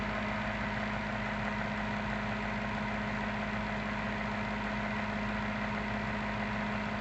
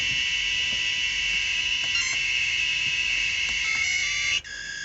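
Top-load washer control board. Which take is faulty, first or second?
second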